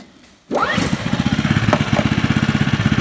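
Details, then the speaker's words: Polaris 120 snowmobile with new RES6VX remote cutoff, at 10 below but already warmed up, starting after remote unlock: engine catches at once into even quick putter, no misfires; normal start. "Okay, I already warmed it up, even though it's 10 below, so it should start."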